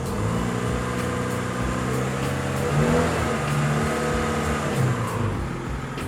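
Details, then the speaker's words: 2002 Honda City, petrol engine still cold: idles and takes light throttle blips smoothly, no stumble or misfire; misfire appears only once warm, traced to a corroded cylinder head water jacket. Normal cold running. "Masih dingin ya ini kalau masih dingin Dia normal ya enggak pincang sama sekali kita coba gas ya"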